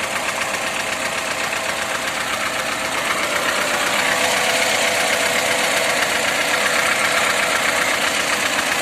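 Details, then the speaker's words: VAZ engine at idle: quick steady rattling tick about four per second; removing the alternator belt makes it run smoothly, so the knock comes from worn alternator bearings. "Снимаем ремень генератора, и все становится на свои места. Как пчелка урчит. Генератор приплыл. Подшипнички там уже."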